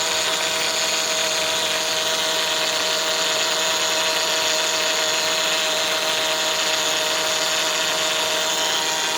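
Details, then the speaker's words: 2004 Honda Odyssey EX at idle: steady harsh whine and groan with felt vibration from the power steering pump, growing louder; bubbling fluid shows an air leak, fixed by replacing inlet O-ring. "it's not bad right now but it's getting worse do that get louder so you put your hand here you can feel that vibration you hear that it's going to get louder"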